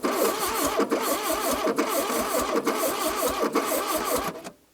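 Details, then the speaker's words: 1982 Plymouth TC3 (Horizon), buried and not run for 32 years: uneven, lopsided cranking at about three beats a second, never catching, with air blowing back out of the carburetor; a stuck intake valve is suspected. "it we might have an intake valve stuck there's air coming back out of the carburetor try again I can hear I think we have an intake valve stuck"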